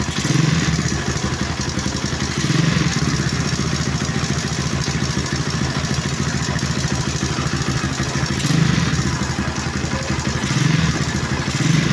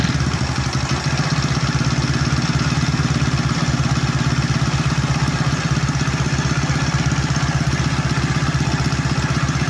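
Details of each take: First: Honda Wave 125 S single-cylinder project bike at idle, using Delo Gold oil: fast, even tapping over a steady idle from the valve train, either the timing chain or the rocker arm; it needs a tune-up. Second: Honda Wave 125 S single-cylinder after suspected timing chain or rocker arm noise: steady, even idle putter, no ticking or clatter on top; engine runs smooth and healthy.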